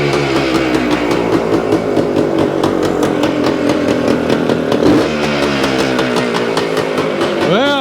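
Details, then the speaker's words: 1975 Suzuki TS-250 two-stroke, 6-volt system, first start after stator rewire and tightening loose stator-plate screws: crisp ring-ding with quick throttle blips, picks up cleanly and keeps running; sounds healthy. "it sounds sounds like we got a live one"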